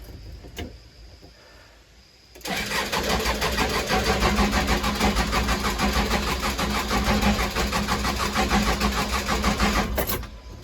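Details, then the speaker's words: Case 580 Super L backhoe diesel cranking, not starting after running out of fuel; even cranking about three beats a second, never catches, "trying to kick"; hand primer pump sticky. Crank no start from fuel starvation. "Don't sound healthy as cranking, but it's trying to kick. I ain't got nothing yet."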